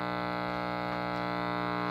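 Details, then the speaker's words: 1946 Sears Silvertone model 132.818 four-tube series-string TRF AM radio, bought not working, at first power-up: steady low buzzing hum at constant level regardless of volume control, no program audio; filter capacitor issues. "And I've got hum no matter what position the volume control's in, so that tells me"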